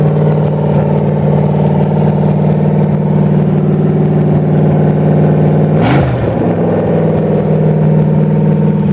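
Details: 1928 Dodge with a 440 V8, broken in, with a new Edelbrock carburetor, electric fuel pump and fan shroud after fuel pump and overheating problems. Deep, steady burble at even idle with a short rev blip; runs normally.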